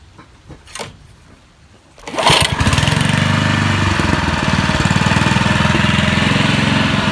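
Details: Honda lawn mower after fixing an oil leak at the seal and reassembling the clutch and blade: after a few pulls it fires and holds a steady, even drone with a regular beat and no knocking or surging; mower runs healthy.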